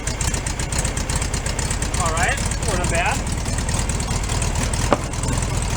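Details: 1965 VW Beetle with freshly rebuilt air-cooled engine on first run-in after carburetor leak fix: steady, even idle chatter with a regular beat, no knocks or misses; sounds pretty good, normal idle.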